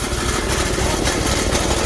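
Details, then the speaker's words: Small engine, old 2011 truck battery, about +35 outside, just started on choke after doubts it would start: loud uneven lumpy idle with no steady beat; rough running on choke. "oh good news is you start it up"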